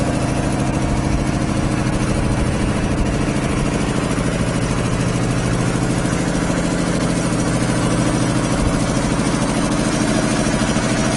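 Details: 25 hp air compressor on single-phase power, 120-gallon tank, about 80 cfm, unloads near 145–150 psi, restarts around 115: heavy even thumping about three pulses a second with solid low drone; pumping up normally.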